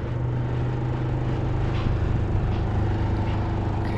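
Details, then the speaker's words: PTAC (packaged terminal air conditioner) running in cooling at 64-degree setpoint, indoor fan on high: steady low hum with buzzing drone from fan and compressor; cabinet not secured, causing vibration. "a little bit of vibration okay this unit's not secured so that that's why we have some vibration"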